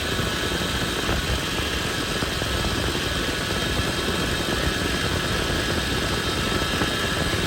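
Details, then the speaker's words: Toyota 80 Series Land Cruiser (FJ80) at smooth idle, power steering pump: steady high whine that doesn't change, caused by air bubbles in the fluid; fix is topping off, running engine and turning the wheel. "if you see bubbles that's a sign you know that's the reason why you're hearing that noise so as long as there's still bubbles you're gonna hear that noise because of the air that is inside the system"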